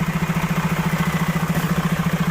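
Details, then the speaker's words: Freightliner truck back from dealer: regular hollow pulsing, about ten beats a second, over the diesel only while the air compressor charges, stopping once the tank fills; owner had just changed the air dryer cartridge; a disconnected air hose is leaking. "It's like a hollowed out sound. I noticed that every time when the air compressor, listen. You can hear it, but I noticed that every time when the air compressor got to fill up, it has that sound."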